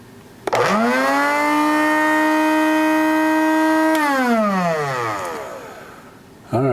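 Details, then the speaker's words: Cuisinart DBM-8 coffee grinder brought in for not grinding, safety interlock switch pressed by hand in place of the bean bin: motor spins up to a steady high hum, holds a few seconds, winds down smoothly; motor definitely spinning, running normally. "right, well that's spinning for sure."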